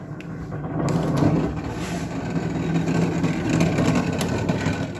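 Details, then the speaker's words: GE freezer: the evaporator fan behind the rear panel gives a steady low drone with a rough, airy whir, louder than it should be. This is a known GE/Hotpoint problem, and the fan is to be replaced. Noisy freezer evaporator fan. "uh the fan inside the freezer now i'm gonna grab the camera and so you can actually hear this noise it is very annoying"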